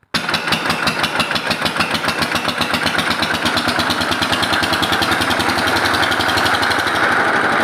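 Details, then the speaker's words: Lister LD1 single-cylinder air-cooled diesel, 4.75 hp at 2000 rpm, about 65-70 years old, driving Italian generator: fast even metallic clatter locked to engine beat; lift chain flapping, not internal engine damage. "แล้วก็เสียงดังเมื่อสักครู่เนี่ยดังชัดๆๆๆคล้ายๆเครื่องจะพังเนี่ยมันมาจากอาการสะบัดของโซ่ของตัวลิฟตัวนี้นะครับมันสะบัดนะครับไม่ไม่ใช่ดังมาจากในเครื่องนะนะ"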